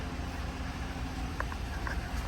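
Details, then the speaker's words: Chevy Silverado LT1 V8, 75k, after full top-end rebuild for cylinder 5 misfire (worn cam); lifters bleeding down, quiet even low rumble with no ticking or stumbling, smooth normal idle. "he's good now let those lifters bleed out fully and it sounds quiet sounds really good nice and smooth"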